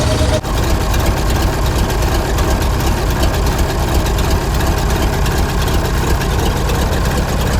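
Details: 60-year-old International Harvester 6x6 army tipper, Perkins 6354 diesel, sat about 10 years, in neutral, running on old diesel in cool autumn air: deep clatter settles into a steady, even idle with no misses or knocks; healthy.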